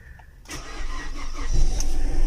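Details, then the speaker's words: Mazda CX-7 2.3 L, restarted after setting the engine timing, cranks briefly then catches within half a second and settles straight into a steady, even idle; a clean, healthy start. "vean de volada muy bien perfecto es perfecto perfecto arranco vamos a dejar que se estabilice el check"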